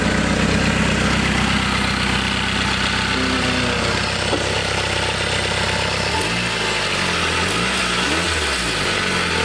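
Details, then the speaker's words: Toyota wagon being smog-prepped (Camry Wagon), after new exhaust flex pipe fitted with heat shield and no longer leaking: steady, even idle, smooth low drone, no puffing, ticking or blowing at exhaust, way quieter; normal idle. "Yeah, way quieter. Okay. Not bad."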